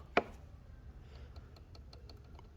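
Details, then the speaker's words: 2014 Chevy Malibu with P0011 code, no power and sluggish: cam timing solenoid clicks faintly and unevenly, pulsing, faltering and stopping at random while powered and tapped; the solenoid is sticking. "like i could feel it like struggling so it's getting stuck so as you can see i'm tapping it you see how it's stopping randomly the moment it stops one time so you can hear it pulse"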